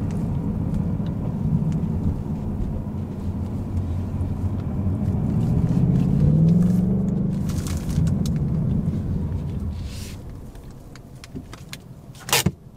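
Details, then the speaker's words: 2018-2019 Mustang GT Coyote V8 after Ceratec treatment for a 1k-3k rpm tick in lower gears: smooth low rumble rolling slowly in first gear, only injectors audible, no ticking; sounds normal. "and right now I believe I can only hear the actual injectors firing, which is great, great, great news. Yep, I don't hear a peep."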